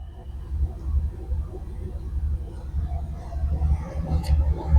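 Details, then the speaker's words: Turbo LS-swapped 1996 Impala after head gasket change and SUM-8706R1 cam (.600/.575 lift, 113 LSA): deep lumpy idle with slight cam lope, a little smoke, no knocks or ticks; normal idle. "up and running. Got a little bit of smoke going on, but that's all right. It's going to do that."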